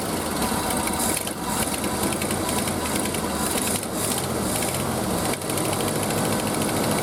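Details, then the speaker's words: Early-1970s Ford F-350 that sat about 7 years, idling on old gas: steady idle with a fast, sharp ticking puff underneath. Slight mist probably from the old gas; oil pressure about halfway. Sounds like an exhaust leak. "Alright, it's actually sitting here idling on old gas. Sounds like it's got pretty good exhaust leak down here."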